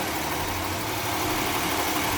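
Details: Nissan March K13 with code P0301: uneven, shaky idle with a stumbling beat. Cylinder 1 is misfiring.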